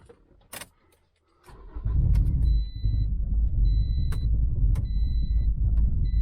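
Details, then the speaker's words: Modified turbo Toyota Corolla after ECU swap, piggyback harness not yet installed so fuel ratio isn't adjusted (owner suspects this causes it); engine catches after a second of cranking, then settles into a lumpy, unsteady rough idle under a repeating chime. "So the car is running a little rough, but it is starting. I think it's also running a little rough because I do not have the piggyback harness in there yet, and it's not adjusting any of the fuel ratio stuff."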